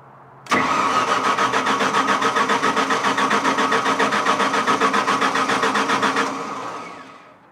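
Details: Onan generator powering three-phase tools: starter cranks steadily at nearly four pulses a second for six seconds, never catches, then winds down; hard start, cause unclear, later ran giving 210 volts.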